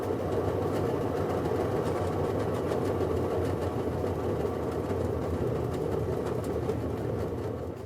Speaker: If your top load washer makes a loud roaring sound in the spin cycle or maybe even a scraping sound, you may